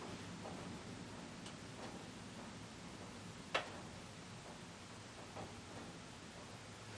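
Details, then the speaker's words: Casablanca Panama 5-blade ceiling fan, probably late 1990s, after oiling the bearings: light, uneven ticks about once a second over a low hum, worse in reverse; the worn motor bearings need replacing. "the bearings are in bad shape given how nice condition of Panda is and the fact that it's a newer one"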